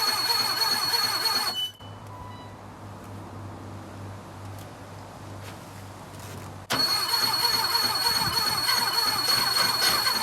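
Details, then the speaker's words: 1976 Porsche 914 barn find, VW Type 4 engine, first start attempt after 30 years sitting: starter churns evenly, pauses, churns again but never catches; owner thinks it isn't getting proper fuel. "it's gonna run just needs more fuel i'm pretty sure if we just keep putting fuel in there it'll start"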